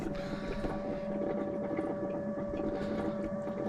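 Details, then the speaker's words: Motorhome fresh-water pump, system unused for years, after clearing the airlock; steady even mid-pitched hum with water now flowing through the pipe, pump fine, fault was the airlock. "So, it must have been an air lock in it then after all that. I'm glad it was that."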